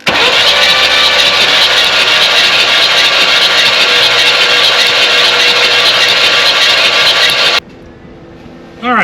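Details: 1967 Buick Riviera sitting 20+ years, cranked with the plugs out during a spark tester check after the points and cap were cleaned. A fast, even cranking whirr with no compression chuffs for about seven seconds, then it stops; the starter spins freely.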